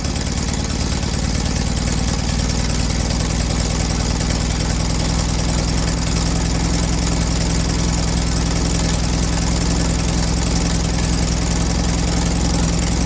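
Steady, even low rumble at idle with no popping or misses; the air-cooled engine is running smoothly and sounds healthy.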